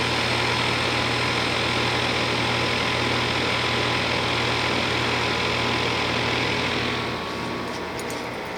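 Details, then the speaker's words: 2001 Trane XE1000 5-ton heat pump at about 45°F, outdoor unit switching back into heat mode after defrost and steam show; steady compressor hum with even fan rush, no rattles or surging, settling quieter; normal heating. "nice little steam show and there is conut and it just switched back into the heat mode"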